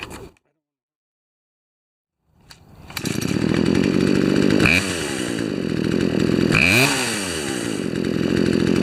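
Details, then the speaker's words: Poulan chainsaw after Actual Zama OEM carb kit install and new chain, on the ground; catches after a pull, steady two-stroke burble with quick rev swells, clean stable idle; turning low-speed jet in raises idle, out lowers it. "when i turn the jet back it increases an idle in and when i turn it out it decreases in idle just adding a little bit of extra fuel for when it needs it"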